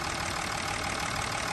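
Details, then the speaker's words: 2020 Mercedes S350 with M656 inline-six, after rocker arm replacement for a knocking noise, original camshaft reused: smooth steady idle with fine even valvetrain hum, no tapping or knock; healthy. "Okay, now engine's running, sounds nice and healthy, everything's put back into its place."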